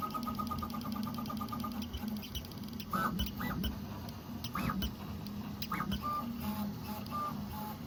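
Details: Prusa XL printing: a soft stepper hum broken by short, rising, bird-like chirps about every second from one extruder; cause unconfirmed, and support suggested loosening the extruder idler screws.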